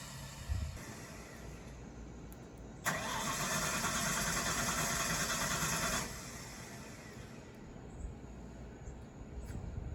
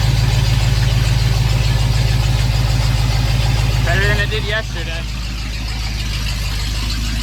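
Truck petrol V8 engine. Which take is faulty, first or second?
first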